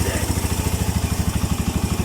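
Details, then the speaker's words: Suzuki Mola GS125 engine converted to 150 and rebuilt; after repair the earlier ticking noise is gone, smooth even low idle thump, quiet and healthy: normal idle. "Tahimik na. Hindi pa kagaya nung nakaraan na may lagitek, ngayon wala na. Natahimik. Ang ganda ng andar."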